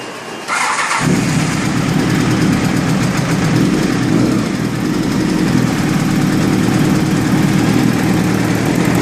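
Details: Honda CBR1000F motorcycle engine cranks, catches and idles with a busy metallic rattle from a slack timing chain.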